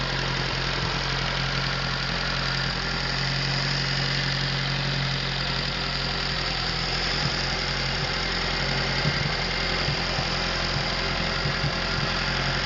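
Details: Atomic 4 inboard engine overhauled last summer (new pistons, rings, valve springs, plugs, wires, higher-flow water pump), run unloaded without choke on a test stand for a 17-foot homemade wooden boat, alternator off: smooth, even idle, steady low hum, no knocks or misses; normal idle.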